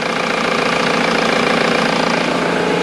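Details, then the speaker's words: Ford VH Transit diesel after replacing the fuel pump timing solenoid (earlier loud diesel knock, power loss, code P0149): steady, even diesel clatter at idle with no rattle or uneven beats; engine now runs normally. "seat is sounds normal excellent so i've just gone back from a test drive and it's fixed"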